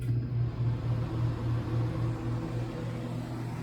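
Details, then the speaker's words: 1960s Rootes Tempair portable air conditioner, from an estate sale, switched on: low hum with soft even pulsing and gentle fan rush settling smoothly; surprisingly quiet, normal startup. "Now it's running. And it's really not that loud. It's actually pretty quiet."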